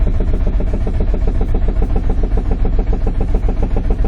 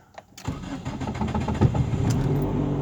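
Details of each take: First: 2005 Nissan Sentra 1.8 with a misfire (P0304), cranked with the key on and the throttle floored for a relative compression test: even starter chugging, about three and a half beats a second, with matching compression pulses; cranking is normal and compression even. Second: 2005 Nissan Sentra 1.8 with code P0304 misfire, run with timing deliberately offset: long crank before it catches, then an uneven, stumbling idle with an irregular beat; hard start with misfire, long-term fuel trim about -3%.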